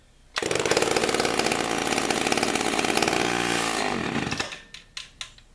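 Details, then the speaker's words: Chainsaw after new piston and cylinder fitted, the old piston was scored and seized: fires and revs to a strong high buzz for about four seconds, then winds down cleanly; good compression, runs strong. "but I put a new piston and cylinder in it now it's got a ton of compression compression in into it but it does"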